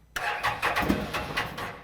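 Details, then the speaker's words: 2016 Can-Am Defender HD10 XT abandoned five years in the Arizona desert: cranks, then catches on starting fluid in a few ragged bursts that fade out. Fuel delivery problem. "oh it wants to run it wants to run we got life that's really fun so this is cool like we this is a fuel issue clearly because that's Fuel"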